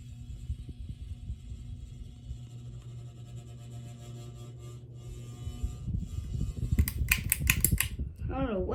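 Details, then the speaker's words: Kennesaw ceiling fan, globe removed so the noise is audible, gives a low steady electrical buzz (owner also reports screeching); fan hangs tilted, owner suspects motor housing or mounting bracket; cause unconfirmed. "it just screeches a lot i don't know why and it buzzes too"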